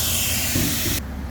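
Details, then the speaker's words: 3-inch plastic VacuTec dump valve on a car wash vacuum, valve indenting hard from being sucked in too hard: continuous sharp airy hiss over the vacuum roar, cutting off suddenly; air leaking past the dump valve, before repair. "That means it's sucked in too hard. And you can hear that this one's leaking."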